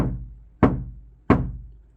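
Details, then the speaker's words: Kia Sportage NQ5 facelift bare, untreated door tapped by knuckle: each tap rings on for nearly a second with a lingering "ttaeung" reverberation before fading; undamped panel that will resonate behind the speaker. "따응 따웅 따응웅 하잖아. 응. 거기 전양인 겁니다."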